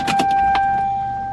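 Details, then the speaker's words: Toyota Supra with new fuel system, first start; clicks at key-on then a steady mid-pitched hum for over a second as the fuel pump primes normally, fuel pressure peaking at 38. "you guys hear that? Fuel pump prime."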